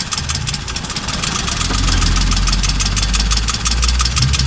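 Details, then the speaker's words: Suzuki Alto 800 (800cc petrol engine) idling with an uneven, stumbling beat: a misfire. Removing the injector connectors caused no change on the third cylinder, so the misfire is there. "so let's hear this engine and find out such a way you can hear that you have a misfa in this engine"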